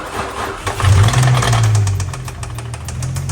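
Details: Damaged Nissan 350Z engine running with a loud knock: heavy, fast, roughly even deep internal knocking; still starts and drives. Those working on it suspect lifters or a cam, possibly timing with valves hitting; others suggest timing chain. Cause unconfirmed.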